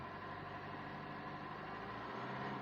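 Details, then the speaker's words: Rebuilt Fiat 1.3 litre engine, revved to about 2000 rpm after rebuild: smooth even note rising and falling cleanly, no knocks, misses or vibration; starts properly and revs healthy. "ये देखो एकदम proper start हो रही है, और race भी हो रही है।"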